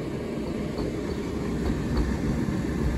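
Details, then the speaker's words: Hotpoint H2D81W UK 8kg condenser tumble dryer, street find with damaged base, running a 20-minute program: low rolling rumble with soft uneven bumps a few times a second, as two damaged spots on the drum's front rim strike the skateboard-wheel-like support rollers. "sounds to me sounds like it's got the same issue that I had on that candy heat pump dryer where there's damage there's two spots of damage to the rim and the ball bearings or the roller bearings like skateboard wheels that support the um the drum"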